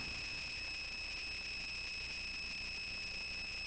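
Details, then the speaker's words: Touchboard speaker output: a steady high-pitched whine with several fixed tones and hiss, unchanging throughout; cause of the noise unknown. "I'm not quite sure why the noise."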